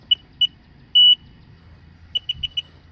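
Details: Cursed RXT after coolant-in-crankcase leak repair, fresh oil change: sharp high beeps at key-on, two short, one long, then four quick; gauge warning, owner suspects a grounded-out sensor or the compass, cause not confirmed.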